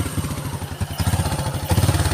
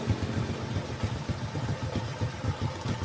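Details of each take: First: Honda Karisma single-cylinder at idle: won't hold a steady idle despite air-screw adjustment, surging and sagging, sometimes racing, sometimes dying; also hard morning starting, heavy fuel use, sooty plugs; unstable idle. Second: Honda Karisma after carburetor air screw adjustment (previously hard morning starts, no idle, fuel leaking past a membrane into carb): low, even putter at slow idle with one brief blip, no misfire; starts instantly, now normal.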